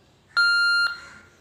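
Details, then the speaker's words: Kenwood TK3107/TK2107 walkie-talkie after board repair and reassembly, battery attached and switched on: single clean high-pitched beep of about half a second; radio powers up and works, though battery is low. "We fix that tightly, and now we attach the battery with this radio and check this. Now you can hear a sound, beep sound."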